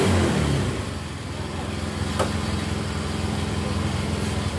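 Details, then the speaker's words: Yamaha Mio J scooter after fixing lost compression without replacing the piston ring set; brief throttle rise, then a steady, even putter with no misses or hollow puffing, compression now solid, normal running. "Aduh, hidupnya motor ini enak apa enggak. Nah jelas ini kompresi sudah padat."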